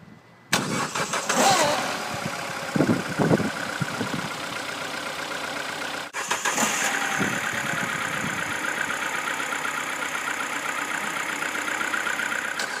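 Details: 2008 Peugeot 207 1.6 VTi 90 kW cold start: cranks and catches with raspy metallic rattle, restarts, then rough buzzy idle; suspected drive belt or tensioner, or starter pinion/bendix slow to disengage, unconfirmed.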